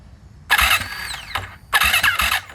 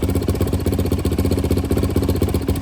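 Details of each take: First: Freshly rebuilt turbo Yamaha YZ450F now 500, E85 fuel at about E78, fuel pressure primed, battery good; first start attempt: two short labored starter bursts with heavy thumps, no catch, struggling to crank, later traced to incorrect cam timing. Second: Rebuilt turbo Yamaha YZ450F now 500cc, push-button start, normal idle set on the rich side (rejects leaning to 14.7 AFR): steady even single-cylinder thumping about four beats a second, no misses or clatter.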